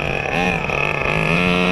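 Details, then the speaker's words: 2002 Tamiya Terra Crusher 1/8 nitro monster truck, running a little rich: in reverse under throttle the engine buzz rises without more pull; transmission slipping, spins out under too much throttle. "Look at that reverse, baby. But you hear that slipping? It's not supposed to be doing that."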